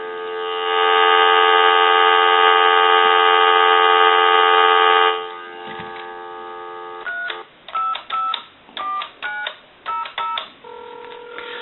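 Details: Western Electric Princess touch-tone telephone after repair: the dial tone drops out, then about eight clean, evenly spaced two-tone key beeps follow as it dials a time-and-temperature number. The keypad dials out normally.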